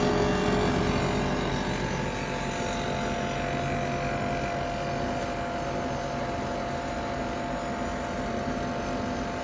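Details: Ninja Foodi 8-in-1 cooker running cold, though the owner says the unbearable noise comes after it warms up: constant droning hum with several fixed whining tones that ease off slightly; noisy fan motor, cause not identified.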